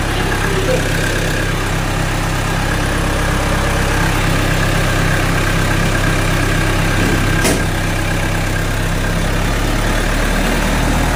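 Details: Generator set with hard starting, batteries down around 11.8 volts: even chugging about four beats a second for over ten seconds, never picks up; cranks but won't start.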